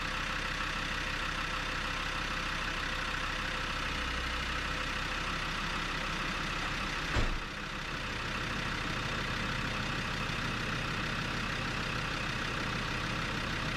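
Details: Land Rover Discovery 2 after replacing the slightly leaking radiator, coolant topped up and battery reconnected, engine not yet at full temperature: smooth, even low-rumble idle with no knocks or gurgling; normal idle.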